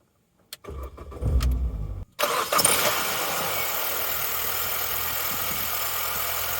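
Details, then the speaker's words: Salvage R50 Mini Cooper with a non-start fixed by reseating the relays, fuel pump heard priming: a short crank catches at once and settles into a steady, even idle with no knocks or misses, starting and running normally. "ah no way it actually runs that was an easy fix that's probably the easiest fix I've ever had to do"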